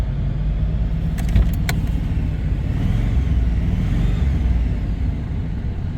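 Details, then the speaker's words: 1997 Dodge Caravan LE with a new coil pack and plug wires checked, check-engine light flashing: a lumpy, stumbling idle that still misfires. "make sure the wires are all on there right yeah still sounds like I got a Miss"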